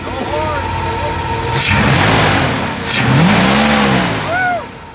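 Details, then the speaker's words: Turbocharged jumping truck with no air box, throttle revved: whistling tone rising and falling with revs and leak-like hiss under throttle; onlookers suspect the turbo. "Oh my god, it sounds like it's gonna blow. What is that little leak? That's the turbo."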